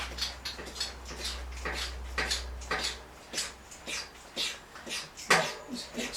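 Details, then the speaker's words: Giant Stance 2021 mountain bike fork: wet slurping and gurgling with each stroke, about two a second, plus knock from the damper; it is very low on oil and the lockout doesn't work. "You can hear it slurping and gurgling. There's very little oil in there. There's not much oil as it should have in there."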